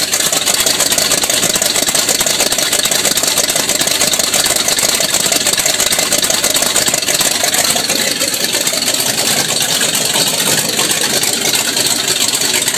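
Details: 1979 Ford with 460 V8 after exhaust leak repair, exhaust cut to a straight downpipe, no muffler: loud, raspy, steady idle with even beat, no ticking or puffing; manifolds sealing properly, normal idle.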